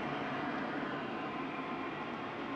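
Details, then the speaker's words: Modified IQAir Compact air purifier, seized original motor replaced with an inline centrifugal fan, at full power after repair: steady, even rush of air with no ticking, rubbing or wavering pitch; running smoothly. "there you have it the modified iq air with my fan [Music] this is probably moving about the same amount of air as it did before"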